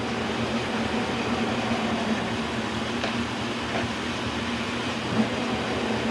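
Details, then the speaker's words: K&T milling machine, first run after oil-system flush and refill with oil: spindle run in reverse (counterclockwise), then clockwise. Steady gear hum at constant pitch, no knocks or grinding, in both directions. Normal spindle running. "Let's try the spindle reverse, counterclockwise. And clockwise."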